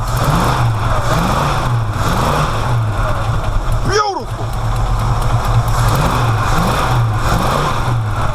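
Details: V8 that was running rich and smoking, timing suspected about 180 degrees off, now holding a steady, deep idle with an even beat and no pops or backfires.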